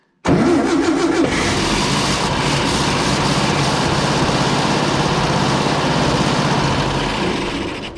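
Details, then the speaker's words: Long-stored warehouse-find air-cooled VW engine, first start on choke. Catches at once and runs a rough, steady idle for several seconds, then fades and stalls; owner thinks it ran out of gas. "I think now it was out of gas."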